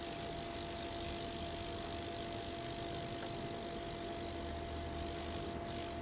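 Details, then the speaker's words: 3mm Corflute insulation test with 11 kV neon sign transformer on variac, about 200 V input (~10 kV out): steady fizzing hiss with faint buzz, no snaps; corona from capacitive coupling, no arcing through the sheet. "i don't know if the camera's picking up the sound there it's you definitely get capacitive coupling at this point but no actual arcing which is what i'm worried about"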